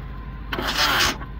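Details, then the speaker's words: 1987 Suzuki Samurai tin top with 2.0L engine, push-button start: brief high whirring grind about half a second with no cranking; owner suspects starter shooting past the flywheel, possibly wrong starter (8 vs 9 tooth), unconfirmed. "here you know what that is a starter issue it sounds like that starter is shooting right past there"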